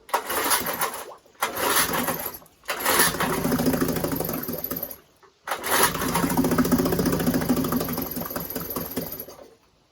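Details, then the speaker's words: 1952 Johnson Seahorse 5 hp outboard, first start in a bucket after ~50 years, primer pump rebuilt: ragged popping runs surging and dying; carburetor flooding and running on one cylinder. "and i was able to get it running but there were two key problems that i was about to identify one was the carburetor was flooding and two it's only running on one cylinder"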